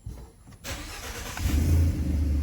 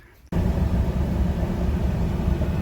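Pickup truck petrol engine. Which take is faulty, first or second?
first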